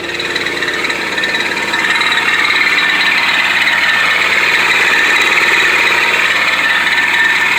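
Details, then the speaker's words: 1991 Pontiac Firebird 3.1 V6, engine running: continuous dry rasping whir, steady throughout; worn smog (air) pump on its way out, to be replaced with a new/refurbished unit. "if your smog's going out, that's the noise it's going to cause."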